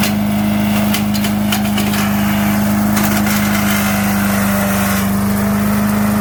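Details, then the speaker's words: 5 HP MTD wood chipper/shredder after carburetor kit replacement, chipping tree branches: steady, even drone under load with brief crackles as branches feed through; runs healthy without hunting. "fired it up and it does run now we're gonna see see what kind of a job it'll do on this tree"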